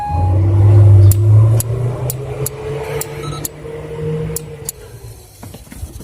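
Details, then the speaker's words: Mazda Isamu Genki 323 1.6, stranded at a gas station; ignition on with gauges and warning lights normal: the starter relay in the glovebox ticks three to four times a second but the starter motor gets no power and does not crank; starter motor/solenoid later suspected. "但是它现在就变成说它会掉，你仔细听哦。"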